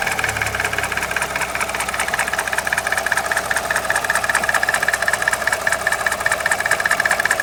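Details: Alfa Romeo 147 Twin Spark, idling: loud, fast, even clatter seeming to come from the engine top end, unchanged cold or warm; bearing failure was suspected at first, but the damage turned out minor and the noise was fixed.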